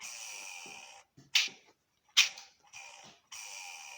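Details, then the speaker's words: Steady high-pitched squeal over idle from a Fiat Uno/Palio Fire 8-valve that stops when the clutch pedal is pressed; worn clutch release bearing, with wear on the diaphragm fingers. "Apresentou um barulho o rapaz precisava na embreagem e dava o barulho com esse barulho aqui ó ó ó tá vendo esse barulho aqui ó segura aqui pra vocês ver ó ó ó"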